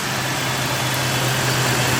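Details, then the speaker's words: High-mileage 1996 Toyota 4Runner V6 with a stored code and a number six cylinder misfire suspected (coil or spark plug): the shop start-up idle is very smooth and even with no knocks, misses or rattles; normal idle. "will say perfectly sounding five easy of e this idle is definitely very smooth"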